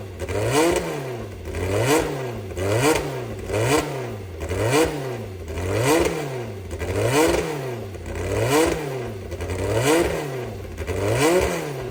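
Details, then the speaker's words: Brabham BT21 historic Formula 3 one-litre engine, first fire-up after rebuild, cold before heat soak: crisp throttle blips about every 1.25 s, revs rising and falling cleanly, oil pressure good; normal revving. "Okay, for a first time fire up, I think that was okay."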